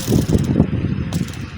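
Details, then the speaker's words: Honda Wave 110i motorcycle with a howling engine noise: hand-spun camshaft bearing gives a dry, gritty rattle in uneven bursts, louder when spun faster. Pitting inside the bearing race is the cause. "ถ้ารูปนี้ไม่แตกมันจะเรียบไม่มีเสียงครับมีเสียงเงียบถ้าตัวนี้มันไม่แตกแต่ว่ามันเป็นตามดข้างในร่องลูกปืนฟังเสียงหน่อยเสียงเวลารอบบิดมันเสียงจะแรงขึ้น"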